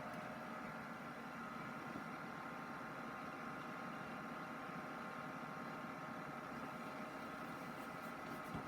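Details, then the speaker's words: Silicon Graphics Fuel computer after disconnecting a hard drive: steady even cooling-fan whir with faint tone, no beeps or drive activity; blinking white light, no POST, cause not yet found. "cuz no post and we have the blinking white light again"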